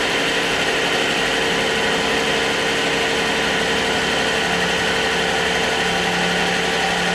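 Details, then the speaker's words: 2014 Jeep Wrangler JK 3.6 Pentastar V6 after oil pump replacement (codes P0520, P06DE), first cold start: steady even idle, smooth whirring top end, no knocks or ticks, oil pressure high as normal when cold; normal cold idle. "now when it's cold it normally stays high-pressure like that so let's see if it goes back down"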